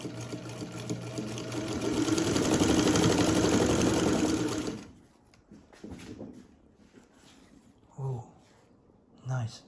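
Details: Vintage Modern Home all-metal Japanese sewing machine with a newly installed belt, before oiling: smooth, quick, even stitching rhythm about four beats a second, no knocking or slipping; normal running.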